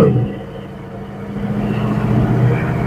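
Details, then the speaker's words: Red Express truck with Holley Sniper EFI, after IAC adjustment (throttle position reading 5–7 at idle, fans on), pulling away: a steady low drone swells evenly with throttle, with no intake whoosh and less bogging. "So I'm in the gas, not hearing any. Oh, yeah, buddy. Much better. No more jet engine noise."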